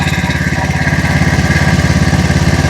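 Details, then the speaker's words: John Deere Z225 zero-turn mower after blown head gasket repair, Nikki carburettor replacement and bad-fuel cleanout, first start: steady even low thump about ten pulses a second, no misses or surging, idling smoothly without smoke. "Let's fire it on up right now. Come on, baby. Listen to that baby purr."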